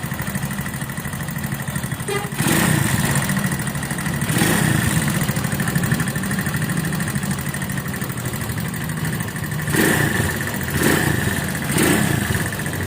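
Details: Viar VSR 200 motorcycle after two prior shop visits: rough, lumpy idle with harsh clatter worsening with each throttle blip; engine internals worn from oil starvation, oil cooler line blocked off with a bolt so oil didn't circulate.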